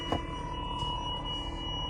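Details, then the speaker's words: 2003 Mercedes SL55 AMG R230, bought with 78k miles: thin high whistle through the speakers that changes with accelerator input, over a low rumble; radio cuts in and out, owner suspects a faulty amplifier. "Listen to this high-pitched sound coming out of my speakers, reactive to the input on the accelerator. This is all associated with my radio going in and out."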